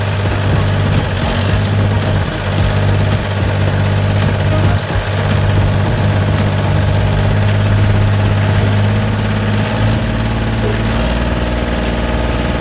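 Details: Gehl 4640 skid steer with Deutz diesel, which had quit and would not restart before a fuel solenoid/pump diagnosis, now at a deep, steady idle with an even beat and no misses or knocks; running smoothly.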